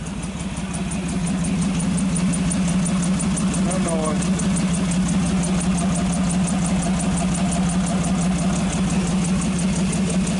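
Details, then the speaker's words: 1948 Nash after carburetor rebuild and exhaust pipe fitted, running low without air cleaner: smooth, even low idle with steady exhaust beat, no misses, knocks or smoke; engine sounds healthy. "hard to say what it sounds like on camera but it really sounds good no smoke whatsoever"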